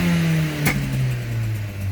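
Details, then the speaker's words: VW Golf 7 TSI with DSG, Stage 1 tuned and no rev cut around 3.5–4k, free-revved; revs fall smoothly from high rpm with a sharp exhaust crack, pops and bangs on the overrun; normal. "I don't know if you can hear the pops and bangs there. You can hear the bubbles going."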